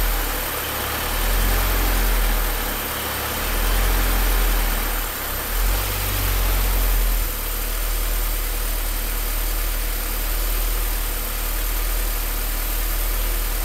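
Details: Low idle that swells and sags unevenly every few seconds instead of holding a steady beat; rough idle, cause not yet found.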